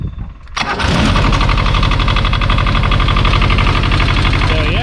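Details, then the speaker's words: 1985 Kubota T1600 diesel garden tractor, 290 hours, cold start with glow plug light: short crank, catches at once, settles into firm even knock about four beats a second; normal cold start, runs really well. "this thing cranks right up it runs really well"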